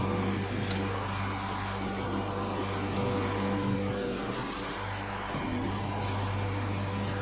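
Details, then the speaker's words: Curbside Craftsman mower 917.376655, Briggs Quantum 122T02-1102-B1 engine: steady, even single-cylinder drone holding pitch under mowing load with no misses or knocks; starts first pull, engine sounds good. "It starts consistently first pull. The engine sounds good."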